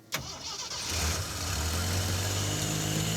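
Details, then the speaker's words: 4x4 AMC Pacer, first start after cycling the key, loud fuel pump: short crank, catches quickly and settles into steady even low idle, no stumble; normal start and idle. "It's so good. Like new, Yeah. and it's idling down as it should."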